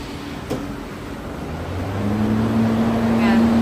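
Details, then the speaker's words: Industrial water chiller with compressor and two exhaust fans switched on: steady low hum with even mid-pitched tone, no knocking or rattling; chiller working normally. "It means that the chiller is working."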